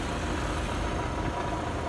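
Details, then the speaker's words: Vintage 1955–58 Westinghouse casement air conditioner, casing removed, nearly 70 years old, compressor running just before shutoff. Low steady hum with an even throb. Compressor runs smoothly and cools; coils completely dirty and need cleaning. "unbelievable it works okay I'm gonna shut it off shut the compressor off"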